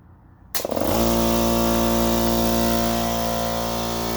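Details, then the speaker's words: Central Pneumatic 2 hp, 8-gallon, 125 psi air compressor that struggled to start and then died, after fitting a new 100 µF 250 V capacitor: the motor catches after a brief hesitation and settles into a steady hum and pump drone without tripping, so it runs normally. "Looks like that was the problem. One more time. Well, looks like I have a working compressor."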